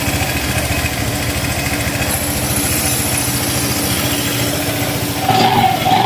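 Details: Honda Click 150i scooter that wouldn't start because of a faulty part, now repaired. It runs with a quick, steady putter at idle, holding even without dying or stumbling; a normal idle.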